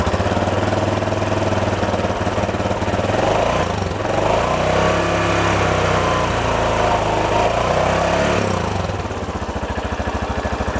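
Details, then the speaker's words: Yamaha Jupiter Z1 bored up to 125 cc with cheap parts, just fitted with a full TDR clutch set: fast idle with a somewhat coarse, uneven but steady beat; owner attributes the slight roughness to the cheap bore-up parts and the TDR clutch. "Suaranya kayak gitu ya ia bisa dikatakan masih cukup bales ya masih bisa ditolelir meskipun Memang agak sedikit kasar"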